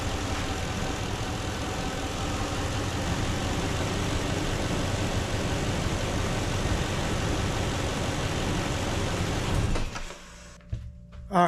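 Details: 2006 Toyota 4Runner 2UZ-FE V8 after timing belt, water pump, tensioner, idlers, serpentine belt, alternator, radiator, hoses and coolant replaced: steady even idle, smooth low rumble, no knocks or ticks, then shut off; normal idle.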